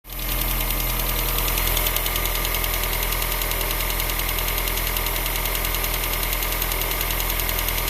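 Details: Opel X20XEV engine at idle: a fast, light, steady tick about three to four times a second over the idle; source not yet identified. Finding: engine ticking noise.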